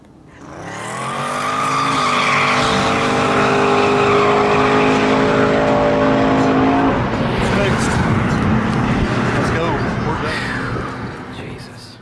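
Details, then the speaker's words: Turbo S-10 street race truck after fix, full-power pass on a bare road: engine pulls hard with a clean climbing roar through a gear change, strong under boost, no misfire; ran 134 mph; normal full-power run. "Instantly, as the boost rolled in, I could hear the truck was making power, and we knew it was fixed."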